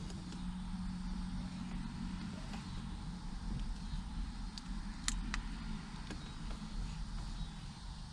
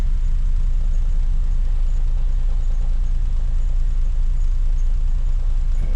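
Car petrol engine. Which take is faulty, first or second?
second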